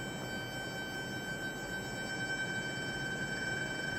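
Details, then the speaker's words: Cheap eBay DC PWM dimmer driving an inductive load in a test: loud steady high-pitched whine near 1.5 kHz with a ladder of higher tones, from PWM switching; LED strips, being non-inductive, would not make this noise. "that annoying pwm okay not cool at all it's not cool at all just listen to that how loud is it"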